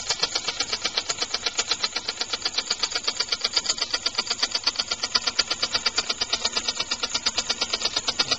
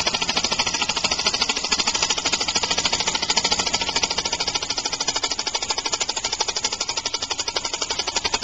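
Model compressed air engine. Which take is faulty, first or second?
second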